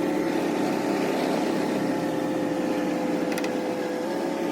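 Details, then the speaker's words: 1979 Ford Econoline 350 with a 460 big-block V8, one owner, sat a long time with no spark and no fuel, now revived, on a drive: a steady, even drone pulling smoothly with no misfire. Runs healthy and responsive but won't idle yet. "She runs really healthy. I mean, really responsive, but it doesn't want to idle."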